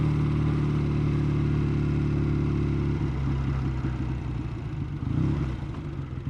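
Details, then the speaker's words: Matchless G12 four-speed on a short ride after 20 years in the garage, just shifted into first: steady, even engine note under way, pitch changing smoothly with throttle and gear change, no knocks or rattles; sounds all right. "we've just gone into first i can't even tell what gear there's only four gears sounding all right there"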